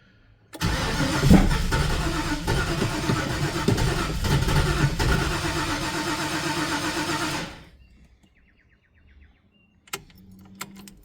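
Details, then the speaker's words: Ford Falcon XD with 351 V8, after battery replacement and pumping the throttle before starting. About seven seconds of steady cranking, turns over evenly but never fires; flooded from too much fuel, fuel smell. "I thought we had this. They give it too much fuel. Smells like it."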